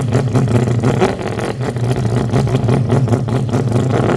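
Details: 2005 Ford Focus ZX3 at about 200,000 miles, final run after repairing a high idle with P2004 code (IRCV intake runner control stuck open); steady, even smooth low hum with no misses, knocks or hunting; normal idle.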